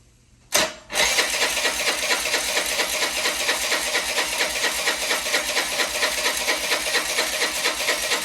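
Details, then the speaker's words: Old Honda Elite 80 scooter on the bench, carb refitted with fuel in the bowl, temporary fuel-line joint, no throttle cable: sharp catch then fast, even buzzing chug about two beats a second, runs only a split second on starter fluid, cause unknown. "well this is what it does i have no idea why it will only run for a split second on starter fluid"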